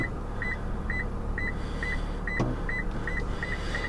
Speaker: and as i get closer you can hear the beeping continue up and now we're really really close and we don't want to get any closer that's why it's giving me that high pitch sensor